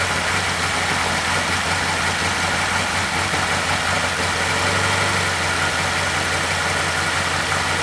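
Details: 2012 Chevy Caprice PPV 6.0 V8 idling after repairing damaged camshaft position sensor wires (P0340, P0341) following a DOD delete, codes cleared by the battery disconnect: steady, even idle with a smooth low hum, no misses, ticks or knocks, running normally.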